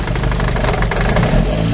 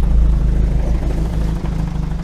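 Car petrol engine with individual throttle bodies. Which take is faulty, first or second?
second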